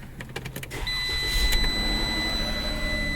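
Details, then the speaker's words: Dodge ProMaster van with a no-start complaint, previously blamed on a locked transmission, cranked with the battery on charge; brief cranking bursts, then it catches and settles into a steady idle. It starts normally. "runs here you go so that's good sign so"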